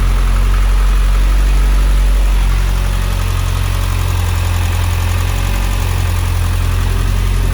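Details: Mitsubishi Evo X 600bhp turbo petrol build, first start after fitting the timing chain and replacing the turbo feed banjo bolt (no leak when cranking): steady, even deep idle with no knocks, ticks or misfires. Earlier lumpy running was blamed on the fuel pump hardwired to 12V (likely too rich).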